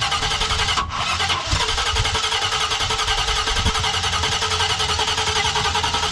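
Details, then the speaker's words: Jeep J20 during a Holley Sniper EFI install, at test fire after fitting headers with full exhaust and fixing the plug wires: a loud, deep exhaust settles into a steady, even idle with no knocks or misses. Normal idle. "yeah listen to how good she sound yeah holy [ __ ] it sounds so good with them headers full exhaust"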